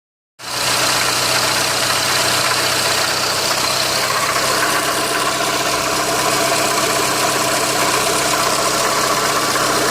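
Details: Renault Megane 2 at idle: steady engine note with a fairly regular light tapping about four per second over a smooth hum; engine knock, source unidentified.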